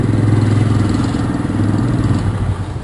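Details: Honda Fly 135 after crankshaft and camshaft bearings replaced: engine revs up and settles with steady, even exhaust beat, no knocking or rumble from the bottom end — normal revving.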